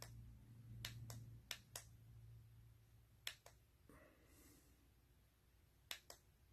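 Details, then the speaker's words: Clicking, often in pairs every second or two, over low motor hum from a 3D pen on a silicone mat; nozzle not heated enough, so filament is pushed faster than it melts and the drive motor skips. "you hear that clicking and your pen it means you're extruding filament faster than it can melt and the little motor that's pushing the filament isn't happy with you"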